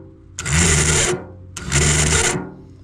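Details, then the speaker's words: Starter from a Briggs & Stratton VTek 22HP V-twin riding mower, bench-tested on jumper cables: two bursts of free spinning with harsh gritty internal grinding over its rising hum; mower only clicked and wouldn't start. "There's something in there that's grinding."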